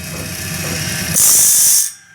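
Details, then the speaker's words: Band saw blade sharpener wheel (new) grinding deeper into a blade gullet: a shrill, hiss-like grind that jumps in over a low motor hum. It is much louder as the depth is increased. "Ooh, it's a lot louder. Got to go a little bit deeper into the gullet here."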